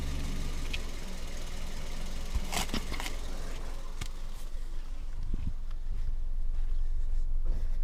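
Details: Hyundai Solaris idling: scattered sharp clunks every second or two that do not follow engine speed. A steering rack knock, with the rack bushing suspected as the likely cause.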